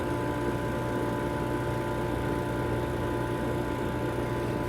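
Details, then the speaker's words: Vacuum Atmospheres Nexus glove box: with the pressure band set to ±1.5, positive pressure is added until it reaches the 1.5 limit and the vacuum pump turns on. It gives a steady, even hum with fixed tones and no knocking or grinding: normal vacuum pump operation. "Now you can hear a vacuum pump turning on. It won't allow you to go above that."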